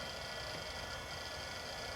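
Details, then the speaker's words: Hard drive last used in 1997, revived for a Compaq Portable III: even spin hum with a faint steady high whine, no clicks or scraping. Normal hard drive running. "But the hard drive sounds like it's working great."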